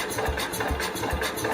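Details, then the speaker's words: 1969 Cub Cadet 105 single-cylinder, being slowly unchoked: uneven thumps about two a second, stumbling and firing poorly instead of idling clean; carb adjustment screws being checked. "let's check the adjustments of that carve it's only firing"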